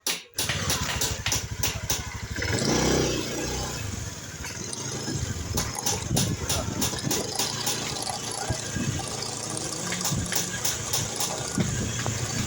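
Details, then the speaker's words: Small automatic scooter engine idling with a fast, uneven metallic rattle (kemeretek) from the CVT/belt side; suspected in the CVT or clutch housing, traced to a dry clutch housing bearing. "Nah, jadi di sini masalahnya ada di bagian mesin samping ya teman-teman. Di bagian mesin sampingnya bunyi kemeretek."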